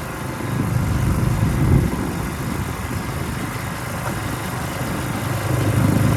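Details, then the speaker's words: Ariens two-stage snow thrower model 11528 with old Tecumseh engine, in drive with auger locked blowing snow; low even throb dips slightly under load and recovers; normal running under load. "She's working. This thing kind of sticks. There we go. So we'll put it in drive, lock the auger, and she blows the snow."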